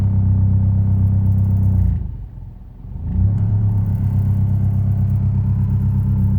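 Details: Proton Inspira engine on cold start knocks or misfires with a rough, low idle that sags then recovers, irregular thumping beat; fine once warmed up. Cause suspected, not confirmed.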